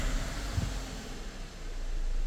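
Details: 2017 VW Passat idling smoothly with a steady, even low hum and no stumbles after the camshaft adjustment magnetic solenoid was found sticking; earlier all four cylinders misfired with fluctuating RPM, and live data now shows no misfire counts.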